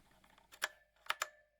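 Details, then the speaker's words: Drevo Calibur V2 mechanical keyboard: keystrokes leave a thin metallic ringing reverberation across the whole board. Key ping, probably from how the backplate is secured (suspected). "a metallic reverberation now probably has something to do with the backplate the way it's secured maybe it's quite a bit of pinging all across the board"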